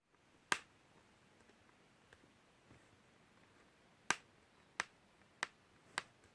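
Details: MSI GV63VR laptop: quiet background broken by a few sharp, irregular clicks from the chassis, several close together near the end; cause unclear.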